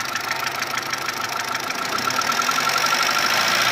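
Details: Mitsubishi 1.3 engine after an engine overhaul: fast, even ticking about three per second at steady idle from the top end, between cylinder head and block; cause not yet known.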